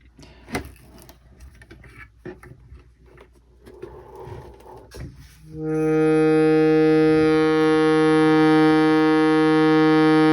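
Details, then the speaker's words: Shruti box: a steady reed drone with a thin, high ringing buzz from a reed catching on its slot; fixed by filing the reed tine. "so immediately i can hear this ringing sound let me just play a different note so you hear a note without the ringing sound"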